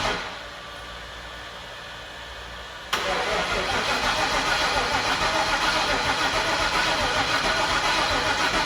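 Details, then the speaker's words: 2003 Ford Mustang Mach 1, MMR stroker with twin turbos and a full fuel system, on a weak battery needing a jump: steady cranking that never fires; fuel gauge very low, pressure near 20, probably out of gas. "I'm wondering if it's out of fuel the gas gauge is super low and uh sounds like no fuel we'll check the pressure quick"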